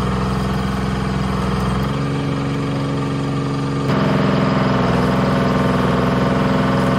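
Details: Bantam C350 crawler crane's Detroit Diesel (believed 3-53) two-stroke, revived after about 20 years parked: steady even drone, firm low beat picking up slightly under hoist load; healthy.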